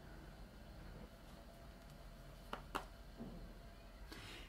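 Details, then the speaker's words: MacBook Pro after the noisy fan was cleaned and reinstalled; almost silent with only a faint low hush and a steady quiet tone, no whirring or rattling, the fan now running quietly. "I'm not doing anything look listen to that do you hear anything no so it worked it's very silent now"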